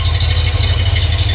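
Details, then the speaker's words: Cadillac Coupe DeVille V8 (tagged 472/500) at low idle after a new Walker Quiet Flow muffler was fitted: a deep, even, soft burble with no drone or rattle, much quieter than the old muffler. "That is low idle. And you probably can't tell on the camera, but it is a lot quieter than the other muffler."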